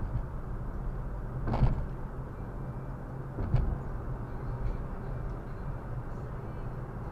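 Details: Viofo A119 V3 dashcam two weeks old, recorded while driving: steady low buzzing rasp under road noise with a couple of thumps, the camera's insides vibrating against the housing; known fault fixed by attaching the foam pad.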